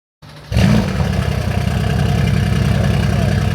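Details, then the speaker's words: Crashed donor Mercedes-AMG C63 S (successor to W204) catches and settles into an uneven, lumpy idle with a stumbling low beat, running like four cylinders; misfire. "It's running very weirdly. What is going on with this car? Running like 4 cylinders."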